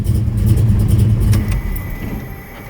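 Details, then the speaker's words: Big-block Plymouth Cuda V8 after a budget HEI-module hybrid electronic ignition upgrade, running HEI on the black coil with no tach signal hooked up yet. A deep rumble catches, revs strongly and settles with no misfire. Normal start and rev. "So let's fire it up and see how it works. Currently black coil, HEI."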